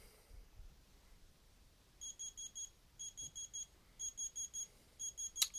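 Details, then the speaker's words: Tommee Tippee groclock wake alarm, volume not adjustable, USB mains powered: quiet room, then shrill beeps in bursts of four, about one burst per second; normal wake alarm. "so that's what that sounds like can't adjust this volume but uh yeah"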